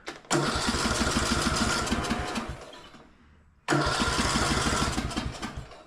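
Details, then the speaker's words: Cub Cadet riding mower that sat outside, new ignition coil fitted, on choke in neutral; two cranking bursts chug without catching; cranks but won't start, owner suspects no fuel delivery and old fuel filter. "Well, let's just see if it'll start on carb cleaner. All right. So, I might not be getting fuel."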